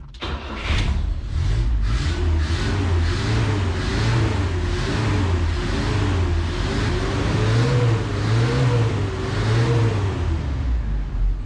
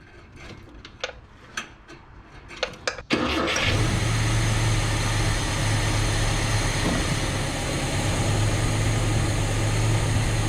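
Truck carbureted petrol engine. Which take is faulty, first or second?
first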